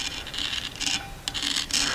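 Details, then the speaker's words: 121 ENV rear half shaft removed for replacement: a screwdriver dragged along the taper gives a dry, catching, uneven rasp over circumferential grooves and torn metal, so the shaft is condemned. "If I run my screwdriver up, there's a groove there, there's the next groove there, there's a groove, and there's a groove."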